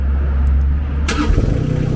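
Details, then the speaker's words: Baumalight TRL620D mini skid steer diesel, auto-start after glow plug preheat countdown: brief starter crank, then catches at once and settles into a steady, even idle knock; normal healthy diesel start. "and it automatically starts up on its own so that's like a little safety way for it to ensure that the glow plugs are always getting used which is nice"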